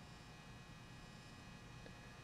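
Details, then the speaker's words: Weller D550 240/325 W soldering gun with replaced line cord, on high setting (about 140 W, possibly worn tip): steady low mains buzz, the normal AC transformer hum. "you can hear it buzzing it's got that nice ac hum"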